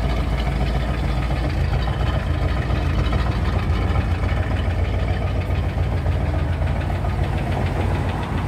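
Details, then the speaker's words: 1978 Corvette starting after standing a few days, with a brand-new distributor and top end redone but bottom end worn; deep rumbling idle with a light, irregular tapping about three times a second, cause not found. "That's the tapping noise on about. Brand new distributor."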